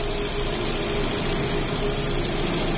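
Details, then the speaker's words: 2009 Astra idling after faulty fourth injector replaced with new Bosch one; fuel reading now 81% ethanol; smooth even hum with faint high whine, no misfire or shaking; normal idle. "vendo o motor nem tremer nem tremer ele não treme"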